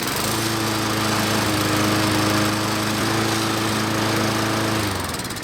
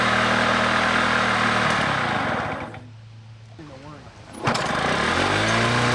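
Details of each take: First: Lawn mower that kept starting and stopping, after carburetor cleaning: fires up and holds a steady, even drone for several seconds before shutting off, no surging or stalling; running normally after repair. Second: Lawn mower repeatedly starting and stopping while mowing: runs, dies, restarts with rising revs, settles, cuts out again; stalling from dirty carburetor, fixed by carburetor cleaning.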